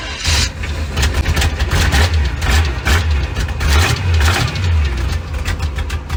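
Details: V8-swapped 1972 Mazda B1600 after transmission reinstall with new flex plate, everything torqued (old one thought loose): deep, lumpy V8 burble holding steady with no sharp metallic knock; healthy idle.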